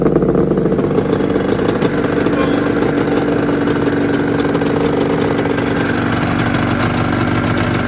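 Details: 1996 Arctic Cat ZRT 600 two-stroke snowmobile, cold start the day after fuel pump rebuild, fuel turned back on: steady even idle with smooth buzzing note, no misses or surging; normal idle.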